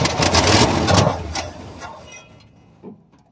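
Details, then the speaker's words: 1967 Chevrolet C20, first start attempt in several years, after filing the points, on poured gas and ether with the choke closed; brief loud ragged firing about a second and a half, then fades and dies; fires briefly then dies. "Well, that helped a lot. So, I'm gonna dump a little bit more gas in there."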